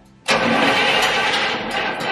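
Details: 1967 Cadillac Coupe DeVille V8 with Quadrajet carb: the starter spins it briskly with uneven puffs but it never catches; plug wires put back on wrong, crossed out of firing order, so no proper spark.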